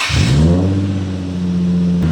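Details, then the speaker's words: Toyota GR86/BRZ after differential replacement (old diff had metal shavings), exhaust not fitted so loud, checking a persistent mystery noise: quick rev settling to steady low drone with faint even whine, no grinding; whine thought normal, noise believed fixed. "I think that whining noise is normal, but I think that other noise is [Music] on."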